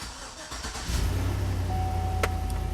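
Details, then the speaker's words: 2005 Chevrolet Tahoe after repairing wiring harness rubbed through by the driveshaft, which shorted and blew the PCM1 fuse causing crank no-start: brief crank then clean catch to smooth steady idle; normal start. "let's see if she'll start good so far"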